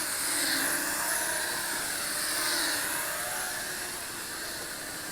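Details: Holy Stone HS340 beginner micro drone flown indoors in high rate with prop guards on: a high, buzzy whine of small motors rises and falls smoothly through quick turns, with no rattles or dropouts. Normal, healthy motor running.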